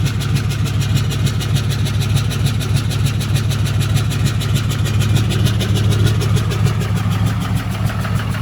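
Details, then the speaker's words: 2008 Dodge Ram 3500 6.7 Cummins diesel, first start after a no-start, idling loud and lumpy with no steady rhythm but no smoke and with oil pressure; rough idle, possible rebuild needed. "Oh, it's running. Does not sound good. >> I guess I'm going to sit here and let it idle."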